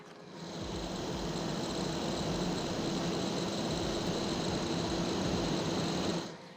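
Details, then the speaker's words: DJI Power 2000 output/exhaust port. Smooth steady rush of air with only a faint tone and no whine: normal cooling-fan airflow. "And let's try the intake. All I'm hearing is wind coming out of it."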